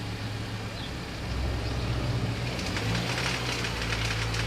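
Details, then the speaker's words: 2006 Mini One R50, Tritec engine, right after a timing chain replacement: running with a harsh, uneven metallic rattle that thickens after a couple of seconds and seems to come on with throttle. A second rattle of unknown source. "That sounds pretty bad. Yeah, the face of despair. There was me thinking I could just get on the road and drive this now. But I don't think so. So it sounds like I have a second rattle."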